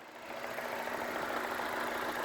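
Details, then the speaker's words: Vauxhall/Opel Astra, previously overheating, now idling after head gasket, timing belt and radiator work, no longer overheating or leaking water. A steady low idle hum, then a rising airy whoosh as the radiator fans kick in with the thermostat open; it works normally. "can hear them fantastic so we know everything's working now fans are kicking in thermostats open control absolutely everything's working"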